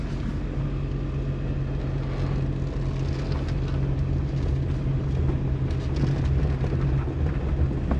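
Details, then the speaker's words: Suzuki Kei Works 4WD test drive after viscous coupling replacement: steady low road and engine hum pulling away, with no growling rumble; the earlier gogogo noise when backing up is gone, so the driveline is now quiet. "音なんないですね鳴んない！すげー嬉しい前はね、このバックをするとねすごい音がなってたんですよゴゴゴゴ―ってそれが無いな！"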